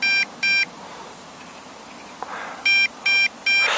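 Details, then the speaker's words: MJX Bugs B2W GPS brushless quadcopter beeping in groups of two then three, about half a second apart; owner suspects low battery (two bars left) or third-party battery, cause unconfirmed. "you have some telemetry feedback you can hear the machine beeping bada is not happy"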